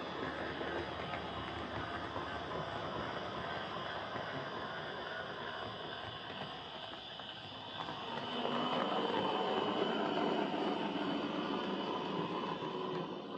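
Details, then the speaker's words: Hornby Dublo R1 0-6-0 model locomotive, possibly about 60 years old and heavily run. Steady, rather loud whir with a gritty buzz that swells with speed; motor brushes worn right down and worn wheels. "Okay, so as you could no doubt hear there, this is a tad loud. I've been fiddling with this a lot to try and reduce the noise, as these old Dublo motors are tricksy things. However, this model's been well run in its life. It's not often I see brushes worn right down"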